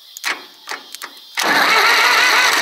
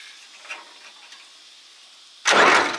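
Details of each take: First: Zetor 4911 diesel tractor, parked since 1986, cranked for the first time: after a few clicks the starter spins the engine in a steady, even churn with no binding, sounding like a four-cylinder. The engine cranks freely. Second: Zetor 4911 diesel tractor, parked since 1986, four cranking bursts with strong, even compression chug but no start; pushrods returning, owner suspects valves out of adjustment.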